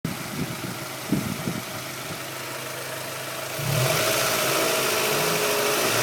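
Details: 1998 Honda Prelude 2.2 H22A5 with 95k miles idling with a loose, uneven metallic rattle. Valve lash was already adjusted and the oil changed; the owner suspects the LMA, a failing tensioner or bent valves.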